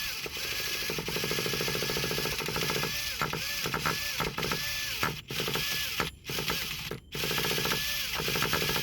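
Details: Traxxas Revo 3.3 nitro RC truck after a fresh engine rebuild, fuel open: a ratcheting starter whirr in short bursts with dropouts, the engine never catches. Owner suspects the one-way bearing. Starter struggling to turn the engine over.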